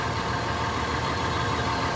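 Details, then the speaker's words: After a DIY exhaust flange repair with homemade clamps and studs made from straightened U-bolts, the engine starts and idles with a steady, even rumble, no puffing or ticking; exhaust sealed, not leaking. "Let's start it up, see how it sounds. There we go, not leaking."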